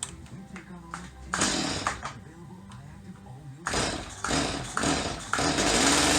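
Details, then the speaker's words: Stihl MS250 chainsaw, carburetor cleaned, low-speed mixture screw turned in: revs climb to a peak then fall off and stutter in uneven bursts, too lean; backed out half to three-quarter turn past peak. "you could hear how that saw reached a point where it was revving at a peak and then it started to fall off the edge and in stutter"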